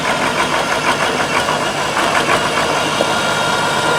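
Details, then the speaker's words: Tractor with a 1066 transmission housing and a brand-new MCV pump, driving: busy mechanical clatter with a thin steady whine; suspected gear pitch mismatch between the MCV pump and the housing gears, not confirmed. "That's the MCV. We think, because this tractor's got a 1066 trans housing, the gears are the same, but there's different pitch on them. That's why it's making all that noise, because we got a brand new MCV pump on"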